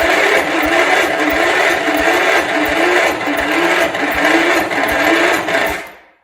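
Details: 1971 John Deere 140 H1 garden tractor, long parked, cranked without choke: steady starter whir with even compression pulses about four a second, never firing; battery weak, possibly not enough fuel, owner doubts blown head gasket.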